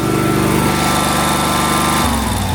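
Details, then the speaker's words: 2005 Snapper ZTR mower (about 1,500 hours) that was revving uncontrollably, after a carburetor replacement: a steady, even full-throttle drone without surging. "And that's how it should sound. Full throttle."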